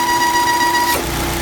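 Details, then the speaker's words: Volvo XC60 T5 2.0L, hot idle: steady whistling hum from the PCV oil trap (PCV box) on the valve cover stops instantly when the oil filler cap is pulled; deteriorated internal diaphragm. "s is this diaphragm inside here deteriorates and it creates a very annoying noise to the point that you have to fix it."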